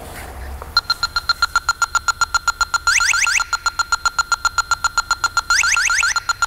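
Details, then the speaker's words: 1998 Ford Contour AC leak diagnosis with dye and electronic detector: detector ticks in fast, even beeps near four a second, breaking into rising warbles; leak first suspected at compressor/condenser, found at the receiver dryer. "Wait. I hear the condenser. It's a leak at the condenser. I can hear something right over in here."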